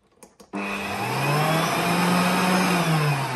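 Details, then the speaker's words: Old vacuum cleaner kept running for 5 years, HEPA filter swapped for cloth, soft-start then run to full power. The motor climbs to a steady roar with a rough, gritty, scratchy edge; worn motor, cause unclear. "it does have this very nice soft start feature, right? And yeah, quite a scratchy motor at this point, but yeah, let's just take it to full."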